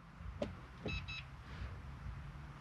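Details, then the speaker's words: 2005 Autocruise Starspirit with a five-speed manual and cruise control retrofitted by the previous owner: a short double beep of two quick high tones over a quiet parked idle confirms the cruise control has switched on, normal. "push it down to turn on pull it up to stop up and down for your speed and you'll hear the beep beep"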